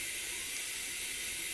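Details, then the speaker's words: Altec Lansing speaker amplifier board, powered on after inspection and reconnection: constant loud hiss with no music behind it, volume buttons not working; blown capacitor not the only fault, something else on the board still wrong. "Still the same problem. The problem is not only a blown capacitor, but uh, there's something else wrong with the motherboard."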